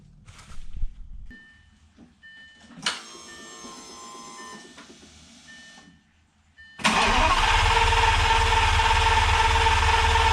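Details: 2004 Lamborghini Gallardo V10, first start after installing test pipes and a Supersport X-pipe exhaust: dash chimes, a few seconds of cranking, then fires instantly into a loud, steady, even idle; healthy start.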